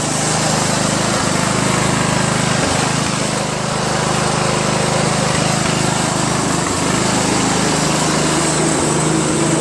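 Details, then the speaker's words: Craftsman LT1000 lawn tractor (1996, 15.5 hp Briggs overhead-valve engine), finished after a new drive belt, deck refit and greased spindles; it starts, drives and mows; single-cylinder engine with an even, steady beat, no misses or knocks; normal running. "Craftsman Lt1000 from 1996. Got it for 20 bucks. It drives, it mows, it runs, it starts, and the lights work."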